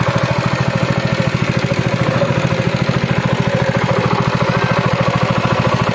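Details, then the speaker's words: Honda GX200 engine for a rice thresher, hard to start with low compression from a failed cylinder head gasket, after gasket replacement: steady even single-cylinder beat about two per second, no misses or knocks; runs smoothly. "nó phát ra âm thanh ngay lập tức. Nó cũng trơn tru và bình thường trở lại và đó là cách để giải quyết vấn đề này"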